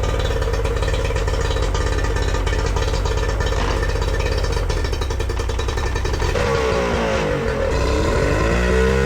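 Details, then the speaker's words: Yamaha 40 hp two-stroke outboard after repair (cracked fuel lines replaced) runs steadily, buzz sweeping smoothly with throttle. It had been cutting out under load with a rough idle, and now runs normally at high revs and under load. "Everything was back to normal. Engine was healthy, was going in high revs, not had any problems um under big loads, you know, when when when you're cruising."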